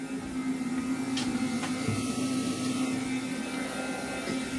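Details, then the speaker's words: Mazda RX7 SA22C with 13B rotary EFI conversion, newly wired relays, after key-on: steady low electric hum at one even pitch for several seconds; both fuel pumps priming normally. "Yep, they're both working. So, they should turn off soon."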